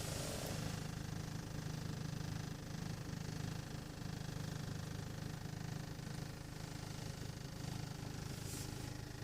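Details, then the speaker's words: 1.8 TSI, cold idle: low droning vibration about 220 per minute heard only inside the cabin, not outside or in the engine bay; vanishes with slight throttle and returns when released, disappears once warm; no fault codes stored; cause unexplained. "ошибок никаких нет проверял шнурком все нормально вибрация слышно особо четко об салоне если дать газку немножечко тулы вибрация пропадает"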